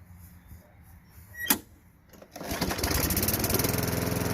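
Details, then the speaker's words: Craftsman 5.5 Tecumseh push mower after clearing the plugged carburetor bowl nut jet and brake cable kill-switch fix: quiet clicks, then the engine catches and settles into a steady, even putter, running normally. "so seemed to be we didn't have to take off the whole carburetor we just had to unplug the bowl nut jet"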